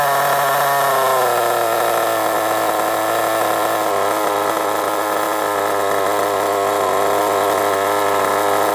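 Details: Kyosho MP9 nitro RC buggy after tick-over screw adjustment: a high, buzzy tone settles and holds even with no hunting or dying out, solid under braking. The engine idles cleanly.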